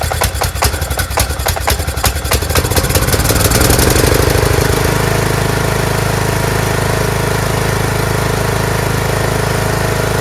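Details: Craftsman T1600 lawn tractor, Briggs 19hp, after cylinder and head gasket replacement (oil smells slightly of gas): choppy cranking catches after about four seconds into a smooth, steady single-cylinder run with no knock or miss; normal running.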